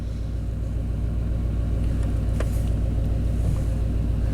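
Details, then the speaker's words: 1991 Chevy K1500 4WD, throttle body injection, surging and stalling complaint. In closed loop at idle the block learn sits at 102, unable to pull the oxygen sensor reading down, and fuel keeps being taken away: low idle with a recurring stumbling thump, a suspected idle misfire. "at that that's the problem boom-boom-boom taking fuel away and right back to 128"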